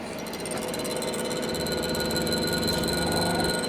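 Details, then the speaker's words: Hydraulic press with newly installed pilot check valve and new permanent high-pressure seamless pipe, while the press lowers: quick chattering clicks about three or four a second over a faint hiss; normal pilot check valve chatter. "ये देखो pilot check वाल की आवाज़ आ रही होगी आपको।"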